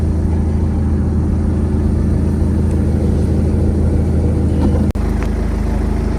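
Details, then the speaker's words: 2014 BMW 320 with 240,000 km, just started (starts instantly, no warning lights): engine idles evenly and quietly, low steady hum with no knocks, ticks or misses; normal idle, engine dry, no oil leaks. "Мотор працює рівно тихенько працює"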